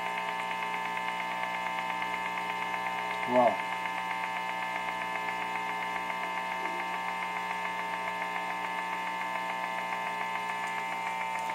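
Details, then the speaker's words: Guitar amp in a home studio: steady electrical buzz with a bright, gritty edge and one brief chirp. Interference from an LG TV in the living room, present when the TV is plugged in and gone when it is unplugged. "it nothing happens amazingly it turns out that this tv lg tv in the living room causes this noise here"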